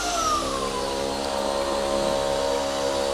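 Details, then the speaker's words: DRYFT floor scrubber-dryer suction motor with the tank on: a steady high whine that barely changes pitch when the suction hose is squeezed; suction loss, machine not sealing properly. "if we squeeze the hose, you can tell there's a suction problem, because the noise of the motor is not really changing as it should."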